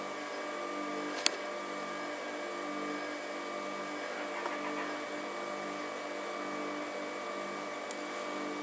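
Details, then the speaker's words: Rimoldi 065-34-22 lace sewing machine, rescued from scrap and cleaned out, switched on with lace fitted: soft, even hum at steady pitch, no knocks or rattles; motor beautifully quiet. "as she goes. The motor's beautifully quiet. How quiet is that?"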